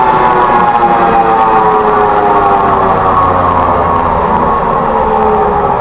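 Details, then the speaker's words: Rice mill before bearing replacement, running at high speed: hard rattling grind over a steady drone; two cracked bearings found on the shaft. "ลูกไหนแตกนี่เดี๋ยวลองติดเครื่องดูนะครับแตก2ลูกเลยนี่ครับเตรียมติดเครื่องนะครับ"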